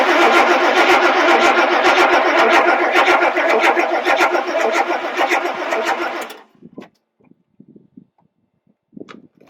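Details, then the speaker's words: 1994 Chevy 1500 4x4, 350 small-block V8, automatic, revival attempt after getting fuel system running: steady cranking about two beats a second for six seconds, never fires; cranks but no start. "so i'm just gonna get the fuel system running as you can hear it now try to start it"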